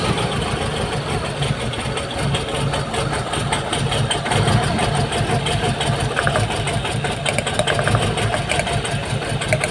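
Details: Mitsubishi Galant GTI 4G63 engine after its hard-starting problem was solved: a low, steady four-cylinder idle that holds its speed without stumbling or dying. The idle is normal.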